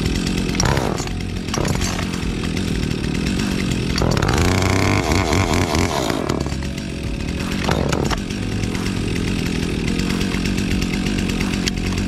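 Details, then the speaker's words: Brand-new Stihl MS 362 two-stroke chainsaw, fired up before a job: burbling idle with a brief throttle blip midway, settling back evenly; healthy normal idle. "okay brand new steel 362. fire it up and let her idle before the job"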